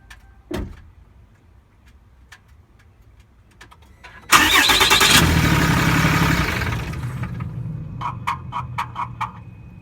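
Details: 2012 Cummins diesel pickup, key cycled: a loud whirring rush, a low hum, then a quick run of sharp ticks; owner calls it a weird, unidentified noise.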